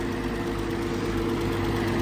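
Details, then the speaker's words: Allis Chalmers D19 tractor, barn-stored over 20 years, after carburetor cleaning and new plugs, running off a boat tank: steady even idle, smooth low rumble, no knocks or misses; normal idle. "as you can tell and she sounds really smooth don't she"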